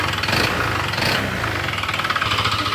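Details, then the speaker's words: Honda PCX160, about 45,000 km and nearly five years old: a hard metallic knock that swells with each throttle blip. It follows acceleration, so it is not the CVT; an engine overhaul is needed for a crankshaft/connecting rod knock. "Ayan ay nararinig niyo yung tunog parang ayun yung bangka bangka. Parang bangka sa ano."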